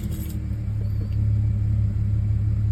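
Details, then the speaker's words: 2010 Audi A6 C7 S line 3.0 supercharged V6 petrol at idle after a plug swap. Spark plugs confirmed as the cause (codes P0300, P0304, P0305); one cylinder still misfires, so it shakes less than before, with an uneven lumpy pulse. "it's still shaking it's a little bit not as much as before because now it's only one uh cylinder that's misfiring"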